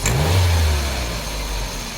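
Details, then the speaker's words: Gasoline/LPG engine, complaint of hesitation and weak climbing when pulling away: quick throttle blip gives rough lumpy rumble and shaking, then uneven idle; cylinder 2 misfire, coils and plugs to be replaced. "괜찮다가도 부부부부 하네요 예 자 몇 번이 문제인가 볼게요 차 떨리네요 떨리고 자 2번 2번 반이 없죠 2번 날아갔네요"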